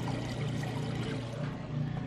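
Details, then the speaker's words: Whirlpool top-load washer moving from wash to rinse, super load setting: steady low drain pump hum with even water rush, no rattles or straining; draining normally. "Okay, we've moved out of the wash cycle into the rinse. You can hear it draining that water out nice and"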